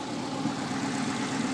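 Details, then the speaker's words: 1991 Volkswagen Westfalia with Subaru engine conversion, freshly started ahead of a 20-minute break-in: steady even low idle, smooth hum, no knocks or misses; running properly, coolant heat at front radiator still a concern. "but uh it's running it's purring you can hear it so far so good"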